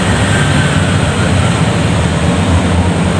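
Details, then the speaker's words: Beverage display cooler after repair of burnt smell and arcing noise (nearly broken, stripped wires insulated): steady low compressor hum with even vibration and no rattle or buzz; the front fan also runs; normal compressor running. "Oke, ya kompresor sudah bergerak teman-teman, kompresor sudah bunyi. Teman-teman mungkin kurang terdengar, kompresor sudah bergetar."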